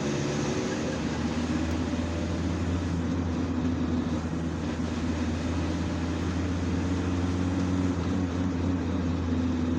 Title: Volkswagen T4. 2.4 D 1995. Gearbox noise. While load on the transmission.